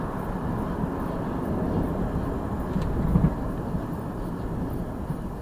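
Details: 2002 Jeep Liberty with swapped 3.7 engine on night road test, transmission shifting, no check engine light, temperature normal: even low rumble under road noise, steady with no misses, knocks or surging as speed builds; runs smooth.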